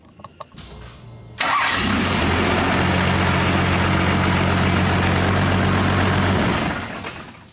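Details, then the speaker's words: Cummins diesel just after fitting billet parts and reinstalling the upper radiator hose: cranks and catches at once, then smooth steady idle with no misses or odd noises and no leaks found; normal start and idle. "It runs good and there's no leaks, so I guess that's a good thing, like always."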